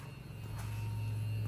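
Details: 2005 Porsche 911 Carrera S 997.1, fuel pump relay activated via PIWIS to drain old fuel from a half tank after engine rebuild: low, steady electric hum builds within a second and holds level; fuel pump running normally.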